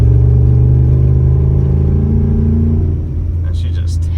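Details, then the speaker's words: 2012 Ford F-150 Lariat with ported GT intake manifold, JLT intake and 5 Star tune, driving desert trails: deep, strong drone holding steady then easing off, no knocks or rattles; running great. "Tell you what, 5 Stars got this thing running mint. Listen to this."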